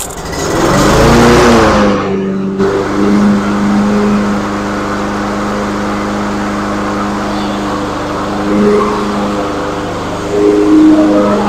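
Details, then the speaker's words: Troy-Bilt TB360 self-priming mower, trash-picked, after repairs with fresh gas and oil: short burst, then a steady, even drone at constant pitch with no misses or knocks; running properly. "it is running properly I checked everything before I decided to crank it over for you guys so therefore you saw right there"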